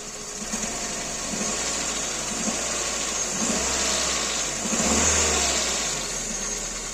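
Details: Kia Rio 2 with G4EE engine: steady idle with a dull rhythmic knock under it that swells as revs rise; a knock from inside the engine, cause not confirmed.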